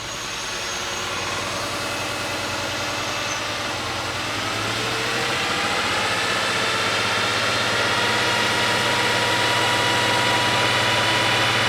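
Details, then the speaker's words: Porsche 911 Carrera at first start after a major engine rebuild, after swapping the crank and mark sensors: fast idle with an uneven, lumpy pulse. The number 5 fuel injector is not clicking on the stethoscope and is clogged, so that cylinder is misfiring. "It's running, but it sounds like it's not running on all the cylinders. And I listened to the fuel injectors, and sure enough, number 5 is not firing."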